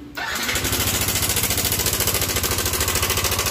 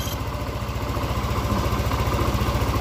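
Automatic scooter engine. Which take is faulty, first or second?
first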